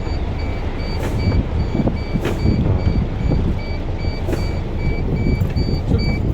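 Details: MAN truck diesel idling after clutch booster replacement and machine bleeding, building air for the booster: steady low rumble with reverse beepers chirping in the background, runs evenly with no knocks; clutch good afterwards.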